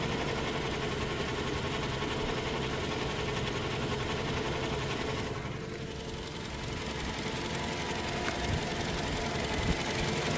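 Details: Toyota Hilux diesel idling with an uneven, fairly quick knock over a steady rumble; engine knocking, cause not confirmed.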